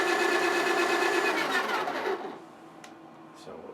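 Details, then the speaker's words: Breville BES870XL Barista Express burr grinder, about 10 months old, hopper emptied before cleaning: light, fast, even whirring with no bean crunch, winding down to quiet after two seconds; grinder run until empty. "You could probably pull those out, or they suggest just running the grinder until it is empty. Okay, that sounds like it finished."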